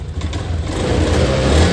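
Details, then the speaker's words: Honda Scoopy/Beat FI scooter after DIY home service and ECU reset, previously stuttering badly: small single revs up smoothly from idle and holds steady with no stumble or misfire; normal revving, stutter gone. "gasgas ini normal."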